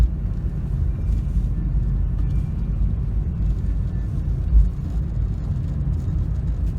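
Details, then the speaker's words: Pontiac Grand Prix test drive after replacing front end components including control arms, ball joints and CV joint; steady low road rumble with no clicking, the former CV joint knocking is gone, running quiet. "all right I don't hear the knocking noise that I used to hear that was the cv joint"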